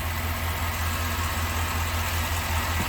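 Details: 2004 Chevrolet Silverado 2500 HD with rodent-chewed, shorted wiring, after plugging back into the factory box; low steady even rumble, no misses or ticks, idling much slower. Normal idle; shorted box replaced, throttle restored.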